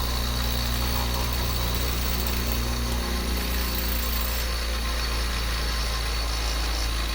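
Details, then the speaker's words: Wisoda E6 split-phase induction motor, which has a centrifugal start winding: it starts, the switch clicks off, then a steady, even low hum at full speed with no knocks or grinding. Normal running. "It's a split phase motor. Has a centrifugal winding in it. It'll start and run, and you'll hear it click off."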